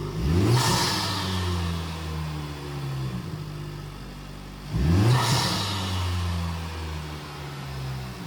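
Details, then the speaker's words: 2025 Honda Civic Type R (FL5) first startup after installing a PRL intake: two sharp revs with rising note and turbo hiss, each dropping back to smooth idle; no check engine light, engine healthy. "All right, boys, there she goes. No check engine light. We're good."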